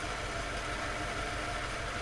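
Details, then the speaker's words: 2001 Subaru Impreza WRX STI GDB, EJ20 2.0 L turbo boxer, about 85,000 km: a whirring at idle that comes and goes; not the A/C, seems to be something outside the engine, maybe turbo, intercooler or alternator, unconfirmed. "kind of like a whirring sound like for and then it comes and goes and so it just shuts itself off for some reason sometimes"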